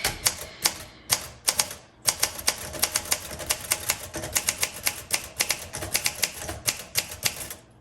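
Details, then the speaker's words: 1963 Olympia SM5 manual typewriter: quick, uneven key clacks typed to the line end with no bell chime; margin bell not ringing. "Okay, the bell did not go off. I was listening for it and I did not hear it."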